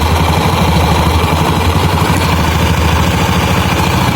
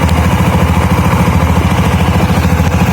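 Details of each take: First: 2013 Honda Beat scooter with rough start, overheating and stalling while riding: loud low idle drone with coarse, uneven rumble from the CVT side; dry, dirty variator roller weights needing cleaning and grease. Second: 2013 Honda Beat scooter with rough starter, brought in for stalling while riding: smooth, even putter at idle with no slipping, rattling or grinding from the belt drive; normal idle.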